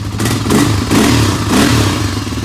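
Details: 1985 Honda ATC 350X single-cylinder three-wheeler, first start after fitting a 400EX carburetor, running on choke: catches and revs in uneven surges, then keeps running; normal first start.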